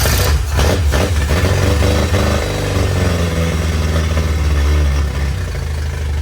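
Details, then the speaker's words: Yamaha T50TLRD 50HP outboard after head decking and new head gasket restored compression: runs lumpy and uneven, stumbling every few strokes; still missing on one cylinder, possibly dirty injector not getting enough fuel. "she's still sleeping on the cylinder but it could be could also have a dirty injector not getting enough fuel"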